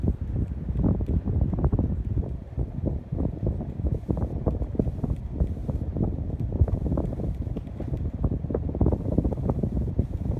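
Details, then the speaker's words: Unbranded 52-inch Spirit of Saturn knock-off ceiling fan with newly fitted blade arms, microphone held close: gusty, uneven whoosh of air with no rubbing, ticking or hum; running normally and moving plenty of air. "I thought it would just be a decent fan, but it's actually a very powerful fan. Definitely could cool down in a large room without any issue. Or move around a lot of air."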